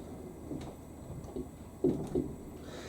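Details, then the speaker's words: Fisher & Paykel WD8060P1 washer dryer on the 90°C towel cycle with pre-wash. Soft, uneven thumps as the drum tumbles towels back and forth without spinning up; it keeps rebalancing even though the load seemed fine to spin. "look bet that's going to stop come on that would have been fine to spin there"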